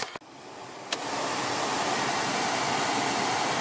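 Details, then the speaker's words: A 2006 Toyota Camry blower motor after being removed and reinstalled to cure a loud vibration that shook the dash. After a click, a smooth, steady rush of air settles into an even hiss with no wobble. Normal blower operation. "no more vibration"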